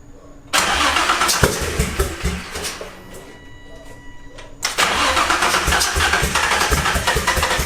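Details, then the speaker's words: Built Greddy twin-turbo G35 at first start: catches, stumbles and dies, then fires again with a ragged uneven beat. Misfire from ignition coil wires 1 and 3 being swapped. "I made that noob mistake of swapping ignition coil wires 1 and 3."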